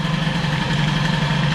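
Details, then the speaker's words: Peugeot 103 moped with Airsal 65 kit and hybrid air setup, carburettor with unknown jets, idling with mixture screw closed: even dull lazy burble, enriches further on throttle; rich running carburetor mixture. "en tout cas là on avise de richesse fermée et ça s'enrichit encore on entend la machine dès qu'on met un coup de gaz"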